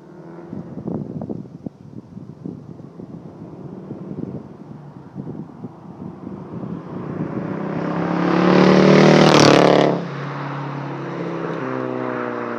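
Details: VW GTI 2.0T, Stage 2 Unitronic tune, Neuspeed cold air intake, 42 Draft Designs turbo-back exhaust: uneven popping and stumbling at idle, then a rough rev that flares and drops off; misfire on cylinders 2 and 4 from failed ignition coils.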